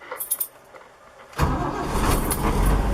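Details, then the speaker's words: 1973 Toyota Land Cruiser FJ40 with dash auxiliary starter cut-off switch turned on: key jingle, then engine catches instantly and settles into a steady even idle with no cranking drag. "it starts right up so there's that"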